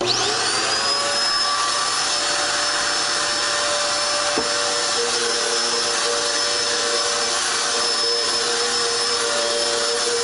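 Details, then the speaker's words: Dirt Devil Extreme Quick Vac, style 15 belt just replaced after it ran but had no suction: steady, even high whir from motor and brush with no slapping or squeal; runs normally. "Alright, now it sounds pretty good."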